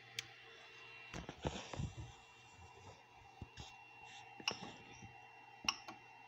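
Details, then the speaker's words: 3D printer hotend cooling fan, 40x40x10 mm hydraulic-bearing brushless RGB replacement spliced in for a broken fan, before the hotend heats up: a faint, even whir with a thin steady high tone under handling clicks; much quieter than before. "and now i have a rainbow fan and and if you can't tell it is so much quieter"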